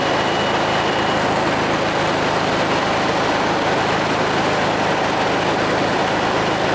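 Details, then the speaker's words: 1969 VW Beetle air-cooled flat-four at warm idle after strobing the timing to about 31–32° full advance: the rpm came up and the idle smoothed out, an even steady rumble with no misses, knocks or hunting; normal warm idle. "There you RPMs came up. Got some heat into it. Smoothing out, too."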